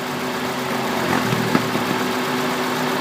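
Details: 2003 Honda Accord with K20 engine at idle: slightly lumpy, uneven beat with an occasional stumble; misfire, cylinder 3 suspected, with injector and trigger checks under way, cause not yet found.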